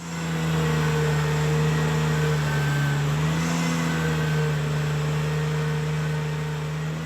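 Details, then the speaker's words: Ventrac 4500 tractor with power rake set very deep and aggressive while leveling lawn soil: steady low engine drone sags in pitch then recovers, lugging and nearly stalling; operator had to raise rake manually, shallower passes work better. "Having the rake set so deep, I had to manually raise it at times to keep from stalling the tractor."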